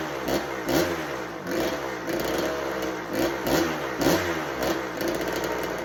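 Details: 1986 Kawasaki KX125 two-stroke, bought with no spark and no start, first fires on held choke after priming kicks. It surges in uneven blips, revs rising and sagging, and won't idle. The owner later suspects a fouled, wrong spark plug.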